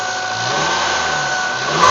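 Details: 1995 Mazda Miata on a cold start: steady high-pitched whine from the front centre of the engine, only first thing in the morning and gone after five minutes; owner suspects tensioner or water pump, unconfirmed.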